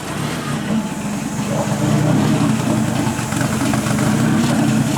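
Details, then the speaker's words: Nissan 180SX drift car idling low and uneven after plug cleaning and fuel pressure lowered from 50 to 40; beat wanders and stumbles, sounding ready to stall; rough idle. "running what a [ __ ] bomb this probably doesn't help the whole course i'll do this back up we'll see how the idols look i'd be lying if i said it was running great but it's running and running is what matters"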